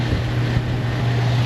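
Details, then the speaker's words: Ram with P0443, proportional purge solenoid commanded at 20% via scan tool actuation test: steady low electrical buzz instead of clicks; purge valve faulty, replaced with new one. "kind of strange they usually click they don't buzz"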